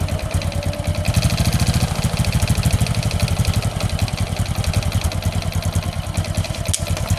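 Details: Honda Supra X 125 single with rough engine noise, before repair: fast firing pulses at idle that swell and sag, not settling; hard-to-hold idle attributed to the carburetor.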